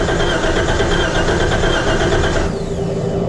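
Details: Wrecked 2012 Jeep Wrangler being rebuilt, first start attempt: steady cranking at about three turns a second with no firing. It later ran on starting fluid, so a fuel-delivery problem is suspected.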